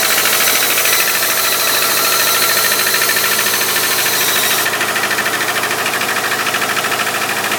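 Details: 2001 Subaru Outback 2.5, 278k miles, valve adjustment already done: a hard, fast metallic rattle over the engine under acceleration. It is strong for the first 10-15 minutes when cold and much reduced after steady driving; cause unknown.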